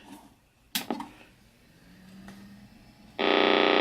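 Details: Macintosh SE after restoration and reassembly: power switch click, short pause, then sustained electronic tone under a second instead of normal boot; startup failure, monitor works, cause undetermined.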